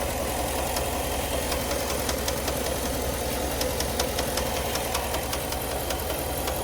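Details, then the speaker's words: GMC Sierra 1500 SLT bought new about two weeks earlier: a noise on every start and sharp ticking over a steady idle. The dealer confirmed a passenger-side engine bank lifter noise. "good afternoon confirmed noise coming from passenger side engine Bank lifter parts and stock"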